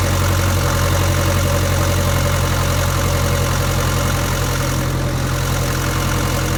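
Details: 1962 Land Rover Series 2A 109 2.25L diesel after setting timing and adjusting the valves: steady, even diesel clatter at idle with a firm low beat and no misses; smoother than before, though the truck still has low power.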